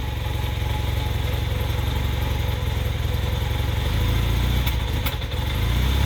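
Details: 1981 Honda CM400T after a top-end rebuild: low, lumpy idle around three to four beats a second with an uneven stumble; slight misfire, cause unclear.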